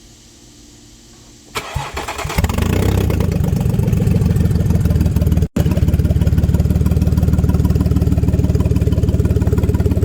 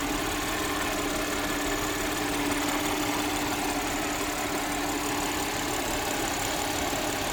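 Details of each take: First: Audi 3.0 TFSI V6 with codes P0133/P0136: cranks, starts, runs loud with harsh rapid puffing rumble mainly from passenger side (bank 1); exhaust leak, suspected failed catalytic converter. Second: Audi 3.0 TFSI V6 with codes P0133 and P0136 for bank 1 oxygen sensors and a failed catalytic converter: steady, even idle with a smooth low hum, no knocking, hissing or ticking; normal idle.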